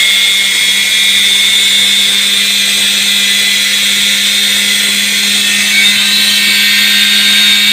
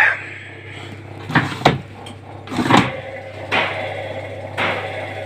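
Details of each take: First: Indesit washing machine brushed motor after lubrication and reassembly, on test: spins up to a high, steady whine with smooth even pitch, then winds down cleanly, no scraping or sparking crackle; normal run. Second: Indesit washing machine whose drum won't turn, on a wash program: motor surges in short bursts about once a second instead of running smoothly; brushes seen sparking, worn brushes suspected and to be inspected.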